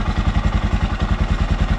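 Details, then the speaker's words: 1979 Honda XR500 single, freshly fully rebuilt, idling after noisy top end was fixed: even deep thump about eight beats a second, no ticking, engine quieter; normal idle. "Engine's quieter. It's looking good."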